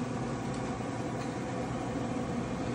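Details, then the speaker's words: Pit Boss Pro Series 850 grill after replacing the seized auger motor: quiet, even fan and drive hum with no grinding or stalling; everything working normally. "as you can see the Hopper's moving or I should say the augur is moving okay so now after I replaced it everything's"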